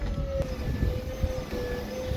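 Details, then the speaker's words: Volvo electric power steering pump fitted to a 1979 Fox-body Mustang, wired to the battery with a steering switch and 2-second delay, pump behind the fender: steady even mid-pitched hum with a faint rumble; normal pump running. "I'll leave the pump on just for now so you can kind of hear how loud it is the pump is right behind this Fender right here"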